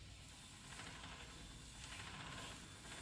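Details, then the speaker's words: 2011 Toyota Tacoma 4WD, 1GR-FE, 6-speed manual, 160,000 miles: the other front wheel spun by hand is quiet, with only a faint hiss and light clicking from the CV axle, no growl or hum; this wheel bearing is healthy. "Right, clicking of CV axle. The bearing, it's absolutely quiet."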